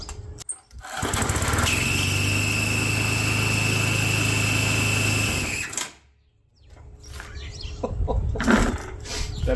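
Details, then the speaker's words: Neglected sun-faded small-engine machine, run with fresh gas and blade refitted: runs steady about five seconds with a loose, chattering rattle over the beat, thought to be the loose recoil housing. "I think that's the recoil I mean it's loose it's a terrible"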